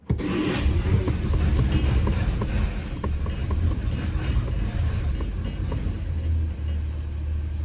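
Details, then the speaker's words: 1949 Studebaker Champion inline-six, freshly serviced, idles with a deep uneven throb, running rough on old stale petrol; small exhaust leak at the flapper, still smoking, but all six cylinders firing. "Yeah, it's really grumpy on that fuel."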